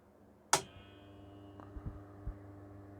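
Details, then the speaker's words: 1940s 12 V vibrator power supply for a PCR radio, run from a 12 V 7 Ah battery and producing just over 400 V HT: click at switch-on, then a faint steady constant-pitch buzz; running normally. "You might be able to hear it buzzing away there. Yeah, not a lot going on there. It just buzzes and produces a voltage."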